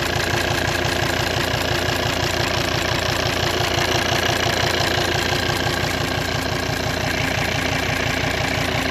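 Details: 2008 Volvo XC90 automatic with D5 diesel at steady idle: light regular ticking over normal clatter, seemingly from behind or at the injector rail; car runs fine, owner suspected injectors but unsure.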